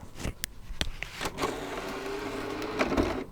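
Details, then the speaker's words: PS3 Slim disc drive, microphone held next to it: clicks, a short motor whir as the disc is pulled in, then the tray mechanism runs again; disc not loading or spinning, drive found disconnected inside. "It's doing like a weird second thing, like it's not loading. It's like it goes in and you hear the tray move again."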